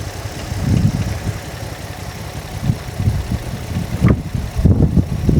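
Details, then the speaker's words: Nissan 350Z with a swapped-in donor engine, first start, after a little throttle. Lumpy, uneven idle with irregular low thumps and stumbles, and the check engine light is on: rough idle with misfire. "Oh. What was that? Doesn't sound too happy."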